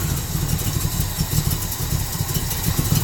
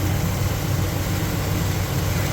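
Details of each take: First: Monte Carlo V8, cold, after choke work: engine chugs at a low uneven idle that never rises to fast idle and sags toward stalling; choke fast idle not engaging, or barely on. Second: Monte Carlo with Holley carburetor, electric choke fixed and fast idle bumped up after rough adjustment off the manifold: deep, even rumble at steady raised speed, no misses or hunting; normal fast idle.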